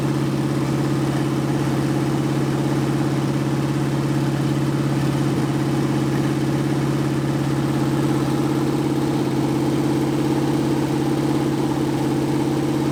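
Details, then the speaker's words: 1980 Dodge short-bed truck big-block V8, first run in 14 years, during cam break-in after converting from points back to factory electronic ignition; steady even idle, smooth regular lope, no misses, knocks or ticks, normal running. "well i think everything went okay for the cam break-in process i was a little bit worried there but once we changed over to this electronic ignition thing started to kind of look up and work a little bit better"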